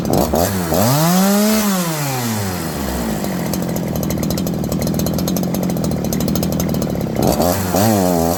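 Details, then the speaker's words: Farmertec 288 kit chainsaw, warm, with low and high jets at 1.5 and idle screw turned in: the idle races up and falls back repeatedly, then it won't idle and goes very rich. The owner suspects a massive air leak. "It was idling, it started racing, going down, racing, going down. Then it wouldn't idle. Then it was all of a sudden pig rich. It's like this thing has a leak."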